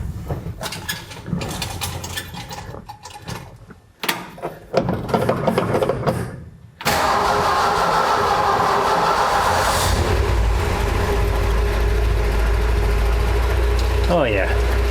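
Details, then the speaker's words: 1966 Ford F100 V8 with new parts-store exhaust and Thrush glass pack muffler: cranks, catches and settles into an even, steady idle with a mellow, subdued exhaust note, much quieter than before; healthy. "much quieter. Much better. Now I can drive this thing."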